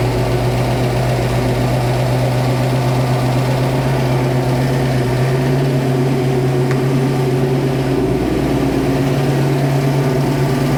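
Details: First start of a freshly installed 347 stroker V8 in a 1966 Mustang Fastback (T5): a steady, high, even idle holding one raised pitch throughout. It idles fast because the carb idle screws are not yet adjusted.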